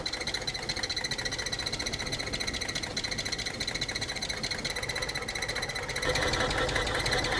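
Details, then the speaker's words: Abandoned Nissan R34 Skyline with a Neo engine and solid lifters, first start after long storage on fresh fuel; rough, uneven idle with light ticking about three per second; valvetrain noise suspected, tappet additive planned. "All right, let's try put some lifter tappet fix in it, just to lubricate those tappets, lifters. It should be solid lifters being a Neo motor, but yeah, they do get noisy if the car's been started up in a long time."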